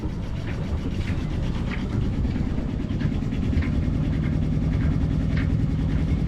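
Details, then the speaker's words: Yanmar 2GM20F sailboat diesel idling in neutral just after lift pump and mixing elbow replacement and fuel priming; water flowing out, idle a little rough but steady low chug with even beat, no knocks or misses; new lift pump seems good, seems to be running normally. "got water coming out oh these Idols a little rough my lip pump in there seems like it's good seems to be running normal"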